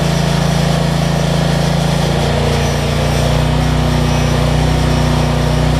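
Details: Generac 7500EXL portable generator, after a faulty low-oil switch (it was killing spark and shutting the engine down after 3-5 seconds) was unplugged and the engine speed slowed: a steady, even drone at constant speed with no surging or hunting, running properly.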